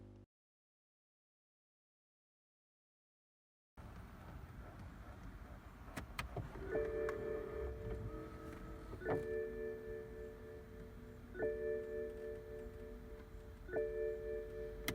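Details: BMW chime/welcome tone after the muffled speaker was replaced with a new one: clean, clear chime tones repeat about every two and a half seconds with no muffling; the speaker now sounds healthy.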